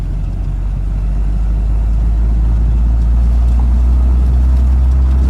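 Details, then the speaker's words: 1991 Jeep Wrangler Islander six-cylinder, in third gear at about 1200 rpm on a first drive after purchase: a deep, even drone with steady pulling and no knocks or ticks; it drives and runs well. "but yeah it's driving real good runs real good seems to seems to work"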